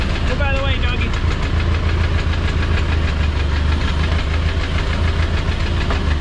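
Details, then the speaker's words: 1952 Ford 8N tractor rescued from a barn, first run, pistons and sleeves due for replacement: loud low idle rumble with light loose tapping; owner suspects valve clearances set too wide, needing adjustment. "oh my gosh it's got a little bit of tapping but it sounds like it's coming from the valves I might need to adjust them a little bit better I might have them opened up too much"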